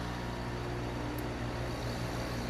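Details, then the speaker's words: Goodman heat pump DSZC180481AE that ran two to three seconds then shut off: after replacing the 30+5 µF dual run capacitor, compressor and fan start right away with an even steady hum; fixed. "actually start right away even faster than the old one that's really yeah ac is back"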